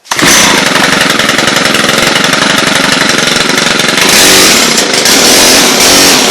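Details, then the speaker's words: Stihl HL hedge trimmer, two-stroke engine revving high and rough with no blade chatter: motor runs but blades aren't driven; owner suspects seized blades, failing clutch or worn drive, later thinks a drive part wasn't pressed in fully and slipped out. "Motor runs. This is a Stihl HL. I can't tell the rest of it. It's a pretty decent one though. Apparently the blades are seized and they don't want to run."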